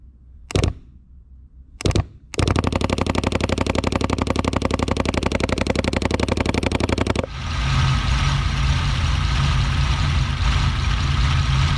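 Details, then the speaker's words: 1964 Ferrari 250 Lusso with a fuel issue: a crisp, steady electric fuel pump ticking at about four clicks a second, then the engine fires and idles evenly with cold oil. Normal electric fuel pump ticking. "when you hear a vintage ferrari and it's got this like click click click that's what you're hearing electric pump"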